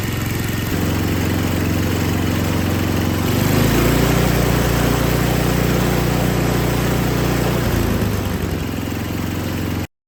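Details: Older MTD Yard Machines snow blower, Tecumseh 5 hp engine, running after carburetor reassembled: steady even drone stepping up in speed, holding smoothly, easing back down, no hunting or surging; normal running.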